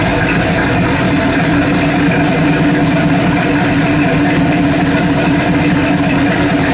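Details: Freshly rebuilt 406 small-block V8 in an S10, first fire-up, timing set at 32°, about 150 degrees; steady idle with an uneven lumpy beat, running a lot rich; owner suspects mixture and idle need redoing.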